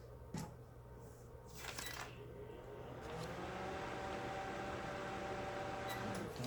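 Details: Microwave under test with a cup of water as load: only the soft fan whir and stirrer run, light on, with no deep mains hum, so the transformer gets no power and it won't heat.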